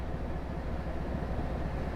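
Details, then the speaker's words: Truck engine idle check, started and briefly revved then returning to idle: even, low rumble, running smooth with no vibration, spitting, skipping, misses, knocks or surging; normal healthy idle. "Start it up, listen to your idle, maybe rev it up a little bit, let it return back. Everything seems fine, it's running smooth, it's not vibrating, it's not spitting or skipping, it's running great."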